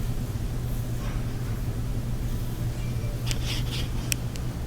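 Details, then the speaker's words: Electrolux dryer after cleaning lint off the blower wheel, whose buildup had caused a rumbling noise. A steady, low, even hum with a few light ticks and no thumping or scraping. Running smoothly after the fix. "so we tested it afterward it sounded really good it nice and smooth"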